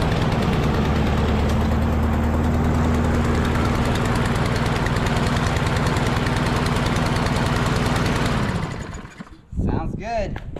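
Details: Husqvarna LC 221A push mower with a Briggs and Stratton engine, which sat over winter and would not start, after its carburetor was cleaned: a steady, even putter at constant speed for about eight seconds, then a clean shutdown. Normal running.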